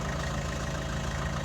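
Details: Vauxhall Astra J after a fuel filter change, with the fuel system primed by cycling the ignition before starting. Smooth, even idle with a regular low pulse and no stumbles or knocks; the engine runs cleanly.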